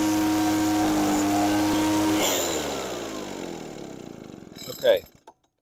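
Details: Echo PB413H backpack blower with a cheap aftermarket carburetor and new NGK plug, at full throttle after leaning the high-speed screw to about 6400 rpm (6400–6600 recommended), idle 2600. Steady high drone with a slight burble, then shuts off and winds down.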